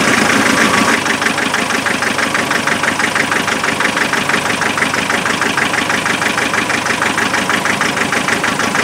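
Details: Land Rover 2.5 NA diesel restarted after thermal camera showed the rear running cold: pulsing, uneven clatter about three beats a second, some cylinders dropping out; misfire at idle, injectors later spray-tested.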